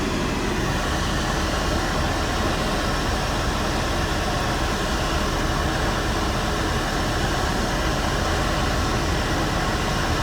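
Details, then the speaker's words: 1992 Mercedes W124 300E with hot air at all vents, A/C and blower quitting, flashing recirculation light: even constant rush of air from the fan, no squeal, rattle or speed change; blower and A/C now working. "see so the ac is working now i hate it when this car does this kind of stuff"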